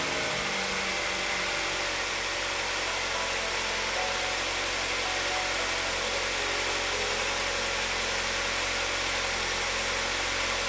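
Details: Ford Escape 2.3 Duratec, first start after a used cylinder head install with a new timing chain tensioner, oil poured over the chain beforehand: the engine catches and settles into a steady, even idle with no misses or knocks, under heavy high hiss.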